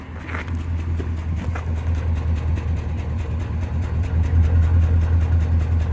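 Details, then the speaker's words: 2005 Dodge Ram 4.7 at idle, deep exhaust rumble with steady uneven chuff from a constant cylinder 3 misfire that persists after coil, injector and spark plug were replaced. "all right you can clearly hear that there's a misfire onto it uh the misfire for cylinder number three keeps popping up so we're gonna do our best to try diagnosis for the client"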